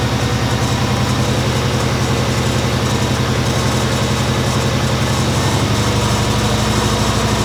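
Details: Subaru Legacy B4 RSK (BE5) twin turbo after starter replacement and recharging a long-discharged battery: engine fires and settles into a steady, even idle with a smooth low pulse and no stumbling or knocking; healthy.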